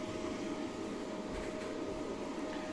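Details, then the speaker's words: Daxtromn AGH-6.2kW-pro hybrid inverter with three Longi Solar 540W panels, running under load: quiet, steady fan hum with a clean constant mid-pitch tone, no rattle or wobble; the two cooling fans run smoothly and continuously, slightly noisy but normal. "Chà, tôi nhận thấy một điều như vậy về tiếng ồn hơi ồn một chút nhưng như bạn có thể thấy, hai quạt này được điều chỉnh trơn tru Hiện tại chúng được điều chỉnh trơn tru, ống quạt hoạt động liên tục ngay cả khi có tải."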